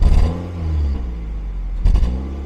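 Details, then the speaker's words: Classic Ford Focus 1.8 hatchback shaking and lacking power, check engine light on since morning: lumpy exhaust thumping on throttle blips from misfire; codes show random, cylinder 1 and 3 misfires (three failed ignition coils, water found) plus EGR flow fault. "好了坑坑的缺缸肯定是缺缸你下来我我拿电脑测一下啊"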